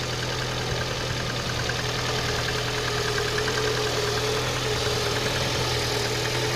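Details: Engine knock at idle: rough idle with dull, uneven tapping about three knocks a second over the engine drone; origin unknown.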